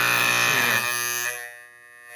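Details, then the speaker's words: Telechron Tela-Alarm Jr. electric alarm clock after freeing a frozen rotor: loud steady raspy buzz, softening as the tone control is turned down; normal alarm buzzer. "You can only turn this guy one way, hey? That's nice and loud. And of course, with the controller tone, you can adjust that."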